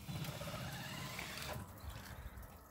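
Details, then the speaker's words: Bailey Unicorn caravan motor mover engaged against the wheels with the handbrake off: low, steady motor drone with faint whirring and no grinding or clunks, driving the caravan normally. "as you can see so that makes me working absolutely fine"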